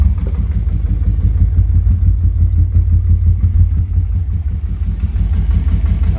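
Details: Honda Transalp XL600 V-twin after carb replacement, following cracked carbs, faulty CDI and one-cylinder running: steady, lumpy beat about three pulses a second with no misses, pops or spitting; running properly, though idle is a bit low.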